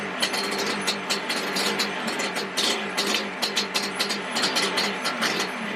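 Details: Yamaha Banshee 350cc two-stroke twin, rebuild project, first proper startup without choke: uneven idle with irregular sharp pops and misfires, running rough. Smoking from the front; owner suspects an exhaust leak.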